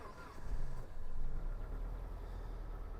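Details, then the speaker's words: 2010 Dodge Journey after used PCM reprogrammed with correct calibration and VIN, security light still flashing: engine catches with a couple of revs then settles to a steady idle with no misses or knocks; it runs. "So we've got a runner."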